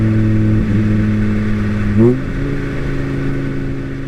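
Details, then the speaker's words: 1980 VW Rabbit pickup (Caddy) with swapped 2.5L 07K five-cylinder, IE intake manifold; steady, even idle with clean firing, then a quick throttle blip rising smoothly and settling; healthy engine. "I'm pretty happy either way this thing makes tons of power and sounds amazing"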